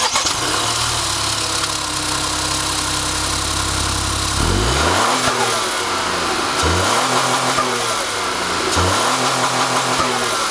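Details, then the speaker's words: Ford Bronco Sport, 1.5L turbocharged three-cylinder, 8-speed automatic, AWD: starter crank, catch and few revs, then busy unbalanced idle with fast light injector clicking and gruff, uneven vibrating thrum; normal for this three-cylinder. "Now, one thing about three-cylinder engines that's hard to get away from is the fact that they're not very refined and they're very unbalanced and noisy, and this one is no exception. Right away you can definitely hear the injector clicking sounds as well as a lot of vibration going on inside of the engine."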